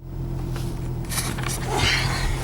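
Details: Audi 200 20V with a used ADY/ADZ 016 gearbox sold as low mileage; engine drone under load with short rasping bursts like gears grinding in first; gearbox failure suspected.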